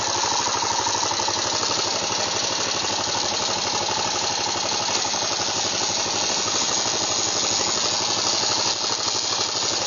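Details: Yamaha XT 600E: harsh gritty grinding over the engine at a steady pace with a faint squeal and rattle, in 3rd and 5th gear; strange gearbox noise.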